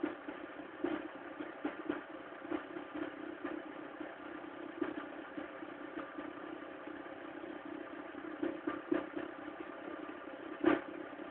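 Cold idle with a thin hum broken by irregular, sharp ticks and knocks every second or so; something is clattering, cause unclear.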